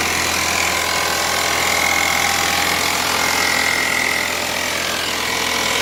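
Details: 1998 Chevrolet Cavalier Z24: rough idle with a regular knock about four per second under a buzzy top end; rod knock.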